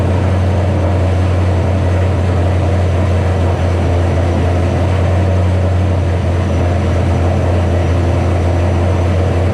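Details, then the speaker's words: 2007 Ford Shelby GT500 supercharged V8 on first start after L&M NSR cam install with Venomous Tuning tune: loud, fast, steady idle, deep even drone, no dips; idling far too high on initial tune, later lowered by a revision. "so a little bit has happened since that last split pretty much you saw the car start up idled real high let it go"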